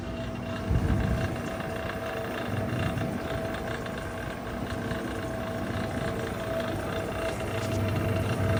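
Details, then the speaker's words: Vintage Electrohome dehumidifier recharged with propane (R600a) replacing flat R12: steady rough drone with faint mid-pitched hum over low rumbling; fan is noisy, new fan motor bought to replace it. "The fan is quite noisy on it. I have picked up a new fan motor for it."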